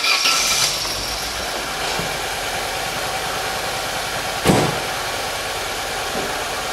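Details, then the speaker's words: Engine running very rough at idle, uneven and lumpy with irregular missing beats and shaking, no power; misfire indicating a blown head gasket. "that's running very rough there's no you can hear that missing and shaking hopefully it's coming through so if it's missing and shaking in and You' got no power that's obviously another indication of um the head gasket gun"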